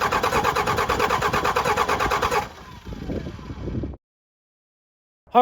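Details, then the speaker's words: 12-valve Cummins tow truck after replacing a melted piston with cheap pistons and no machine work, fuel lines bled of air: starter turns it over unevenly at about three beats a second but it never fires; air in fuel suspected. "right well this thing won't start"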